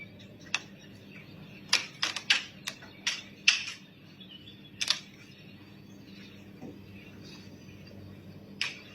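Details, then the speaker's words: Metal sheet roof with PU foam insulation, recorded on a phone: sharp, irregular cracks and snaps, several close together then sparse, in a quiet room; popping roof, cause not confirmed. "อันนี้ดังแรงมากนะครับเพราะว่าผมถ่ายจากโทรศัพท์นะครับอีกเครื่องนึงโอ้โหครับอันนี้เสียงครับในคลิปวีดีโอก็นะครับ"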